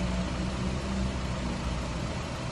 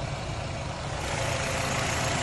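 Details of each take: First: 2011 Nissan Rogue after a cylinder head job: low, steady four-cylinder idle with an occasional faint stumble; intermittent misfire found with a PicoScope to be a burnt, faulty coil wire set. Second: 2011 Nissan Rogue at idle during PicoScope wand retest of cylinders one to four: steady, even low idle with no stumble or skip; engine running smoothly with no misfire, though a bad coil wire set still needs replacing.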